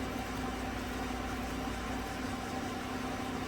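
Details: 2016 Chevrolet Silverado Z71 4x4 5.3 V8, about 135,000 km, warming up after replacing all right-bank lifters for a collapsed #6 exhaust lifter (tick, #6 misfire); smooth, even idle with steady low hum and no tapping or misses; runs normally.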